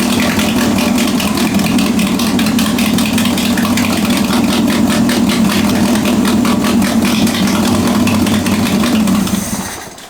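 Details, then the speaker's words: Budget widebody Toyota Corolla at idle right after first start-up: fast, even ticking puffs over a slightly uneven idle; exhaust manifold still loose with gasket missing, leaking. "Now, obviously, the manifold is still loose, and there's still gasket missing, so I'm gonna have to order some stuff"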